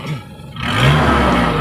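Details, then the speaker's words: 2003 Suzuki Carry Futura Realvan, revved to 3000–4000 rpm: pulls up smoothly to a clean, even drone with no knocks, rattles or stumble and no white smoke from the exhaust; the engine sounds healthy. "Nah, kita naikin RPM sampai 3000 sampai 4000 aja masih halus suaranya."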